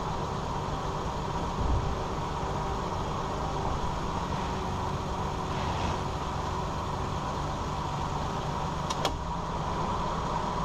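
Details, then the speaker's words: 2001 Ford Ranger 4x4 driving after front driveshaft CV joint replacement; steady road and engine drone, and the rattle heard at slow speeds, with vibration at 50–60 mph, is gone: normal driveline, no rattle. "all right so as you're heard the noise is gone the rattling"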